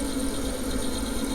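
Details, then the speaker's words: Vaillant Turbomax gas boiler, cover off, previously condemned: spark present but no gas until the gas valve is tapped, then the burner fires with a steady, even roar and low hum, no surging or cutting out. "There you go. Giving it a tap, fires up. Nothing wrong with that. 2 taps, boom."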